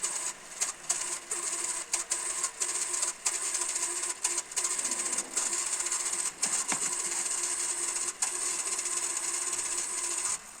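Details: Panasonic NV-SD300 VCR full check after repair: soft even whirring with crisp mechanism clicks as the tape loads and runs; transport smooth and steady, working normally.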